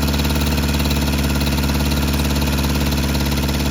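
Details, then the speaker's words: Volvo petrol engine at idle after a distributor and plug-wire refit and freeze plug repair: pulsing, slightly uneven beat with occasional stumbles, slow throttle response; intermittent misfire, owner suspects plug wires installed in the wrong order. "It's misfire sometimes, and it does not respond when I'm trying to give it a quick gas, like throttle."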